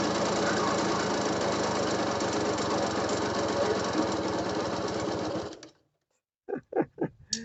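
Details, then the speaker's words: RC motorcycle that starts only on primer fuel then dies; idle unsteady with a very loud, uneven rattling knock (~160/min), owner unsure if from conrod or piston, suspects conrod mixed with ring noise; finding: piston slap. "นี่เบาไม่นิ่งแล้วก็มีเสียงเสียงดังมากๆนะครับเสียงกราวดังมากๆเลยไม่รู้ว่ามันดังมาจากข้อหรือลูกนะแต่ที่คิดๆนะคิดว่าน่าจะเป็นข้อว่ะน่าเป็นเสียงก้านมากกว่านะแล้วก็คงจะผสมผสมกับแหวนนี่แหละ"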